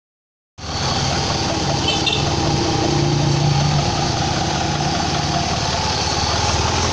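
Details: 2004 Ford Escape / Mazda Tribute 3.0 V6 idling with a steady airy hiss over a slightly uneven beat; it sometimes stalls; the owner suspects a vacuum leak that he cannot locate; hissing with rough idle.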